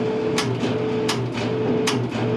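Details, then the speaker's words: Whirlpool MGDC200XW2 gas dryer with no heat, switched on and off repeatedly: motor hum cuts in and out with no gas-valve clunk near the front left, so power is lost before the burner; blown thermal fuse. "There's absolutely no clunk. All of this is just the motor turning on and off."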